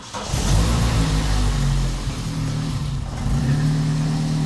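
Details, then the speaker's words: Vauxhall Corsa hot hatch track car, started with a jump starter after sitting a long time, before fitting an induction kit, heard from the back: engine catches and settles into a steady, even low rumble with a clean rev; runs smoothly. "well she goes it's been a while but she goes she sounds as smooth as ever which is good this her from the back yeah she sounds smooth"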